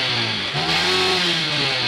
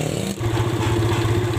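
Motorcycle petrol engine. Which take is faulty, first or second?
second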